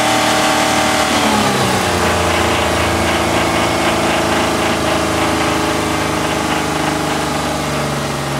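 A petrol V6 idles, then revs, with a steady light knock of about four beats per second riding over the engine note.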